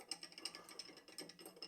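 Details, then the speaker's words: 1927 BSA 250 Deluxe wedge-tank basket-case engine turned over slowly without firing: quick run of light metallic clicks, about seven or eight a second; engine sounds like it needs a rebuild. "you can hear that needs a rebuilt and you'd think that the box would need new bearings and a tidy up wouldn't you"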